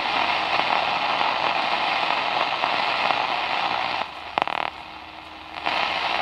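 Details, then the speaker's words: Vintage Sony TFM-1000 four-band germanium transistor radio: only flat hiss and a few crackles on shortwave, no stations. Owner suspects heavy corrosion, probably inside the old trimmer capacitors. "nothing there well has it has the potential to be an epically awesome radio but just isn't because it's so corroded"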